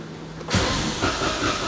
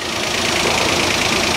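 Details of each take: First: Citroen AirCross 1.2 three-cylinder 82 PS with little fuel: starter churns about three seconds with uneven pulses, nearly catches, then nothing; cranks but won't run. Owner suspects no fuel or a slow fuel pump. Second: Citroen AirCross 1.2 three-cylinder 82 PS petrol after earlier crank-no-start and immobilizer faults: now running, with a steady even idle, a hissy top end and no knocks, stumbles or misses, though the cause of the fix is unknown.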